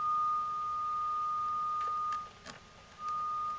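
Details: NAD C370 amplifier after repair of speaker output relays that switched on late then chattered off, speakers A on one channel, signal generator tone: clean steady test tone that cuts off and returns cleanly, no hum, crackle or distortion; amplifier output working properly.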